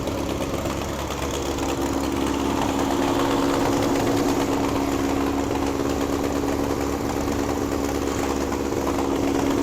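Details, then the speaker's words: 1961 VW Beetle barn find air-cooled flat-four, after clutch and gear trials, running its best yet: steady, slightly busy patter with an even hum. Settled, normal idle. "That's like the best it's ran. Oh, listen to that. Oh, those are burning. Woo! It's idling."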